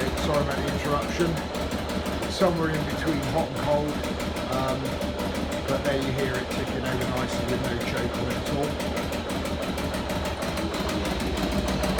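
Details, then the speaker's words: Motorcycle just after an oil change, previously warmed up, possibly a bit cold, given a little throttle: steady even idle with no misses or hunting, smooth regular beat; idles without problems. "As I say, rides really nicely, pulls strongly, and idles without any problems at all."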